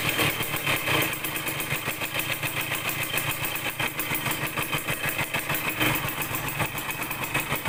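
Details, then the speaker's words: Yamaha DT100 two-stroke after tightening a loose intake-neck nut that was leaking: lumpy, surging pulse that never revs out cleanly; carburettor air screw mistuned, later adjusted for better throttle response. "แต่เดี๋ยวต้องจูนอากาศใหม่นะครับรู้สึกว่าเร่งมันไม่ออกเร่งแล้วไม่ออกนะครับเดี๋ยวผมต้องลองจูนอากาศใหม่ก่อนนะครับ"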